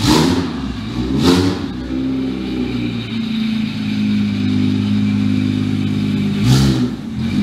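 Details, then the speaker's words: BMW 335i single-turbo with JB4, first start in three months: ran a little rough at first, then settled into a steady, even low idle with a couple of brief blips; normal idle. "I thought it was gonna struggle to start up a little bit at first, but it started up no problem. And obviously it ran a little rough at first, but listen to that idle right now."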